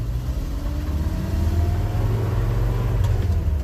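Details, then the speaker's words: Restored 1974 small truck on road test accelerating through second into third gear: deep even engine rumble climbing smoothly under load, no knocks, whine or misfire; revs up well, healthy pull. "second gear sounds good revs up pretty good third gear picking up and we're gonna go for fourth gear nice round truck"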